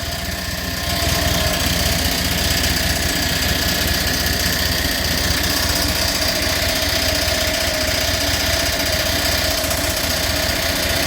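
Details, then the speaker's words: Massey Ferguson TEA20 tractor, first run after revival: fast idle with a busy clattery chatter about four a second over the engine; really noisy water pump, likely bearings, with debris inside; no smoke, runs well otherwise. "it run pretty good it's got a really Noisy water pump"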